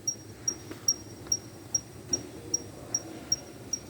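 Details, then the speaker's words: Jeep Compass rear wheel with electric brake caliper: sharp, cricket-like chirps at about three a second. Loose brake pad retaining plate is chirping; fixed by spraying grease on the plate and pressing it in. "fala pessoal estamos aqui com compras um barulho na roda tipo uma nick nick nick nick nick um grelinho"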